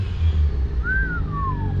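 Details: LS V8-swapped Nissan 350Z idling after a new wiring harness was fitted, build finished: deep, steady idle, even and smooth with no misfires, ticks or knocks; engine sounds healthy.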